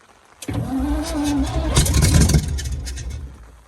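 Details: Alvis Stalwart not run for 30 years, repeated cranking after Easy Start on new batteries: starter churns the engine over a couple of seconds, labouring unevenly, never catches and winds down; no oil pressure shown afterwards.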